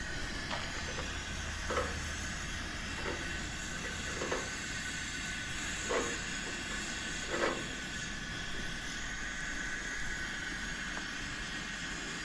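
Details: Coleman camp stove, garage-sale unit never started before, first burner with valve fully open then turned down: steady hissing roar with occasional soft pops; flame still somewhat yellow-orange with blue present; burning normally.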